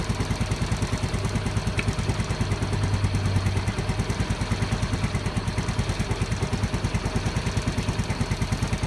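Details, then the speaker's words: Yamaha Mio M3 scooter with code 46 charging fault, idling after fitting a Mio Soul GT regulator (kiprok) as the original regulator's red line had no output; regular, evenly spaced idle pulses, no stumbles or rattles, engine not misfiring, normal idle. "kita gas dulu di Indonesia eh motor enggak Brebek nggak masalah ya enggak merebut enggak yang lain"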